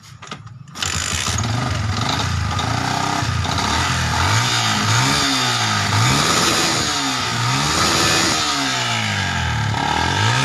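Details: Yamaha Vixion fuel-injected motorcycle that died from oil rising into the combustion chamber fouling the spark plug: after plug refitted, catches after brief crank and runs evenly with clean blips; oil consumption issue still unresolved.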